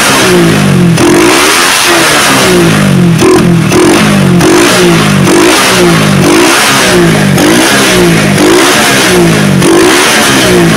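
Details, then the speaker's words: Motorcycle with a freshly set PWK racing carburetor, repeated blips from idle to mid and high rpm: picks up crisply and falls straight back to idle without hesitation or the carb holding revs; setting judged right; normal revving. "Nah untuk karbunya enak ya langsamnya ketika digas langsung turun itu menandakan bahwa settingannya sudah pas ya guys"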